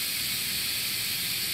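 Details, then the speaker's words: Multipro 2 HP electric air compressor, tap closed: constant sharp hiss of escaping air with no rhythm or break; air leaking past the pressure switch. "इसे खोले बिना, नल खोले बिना लेकिन हवा यहां से बाहर आती है, हवा दबाव स्विच के बीच से निकलती है या हवा ट्यूब से उलट जाती है प्रेस या क्षति जो लगभग भाग और 2 एचपी मल्टीप्रो कंप्रेसर को होती है।"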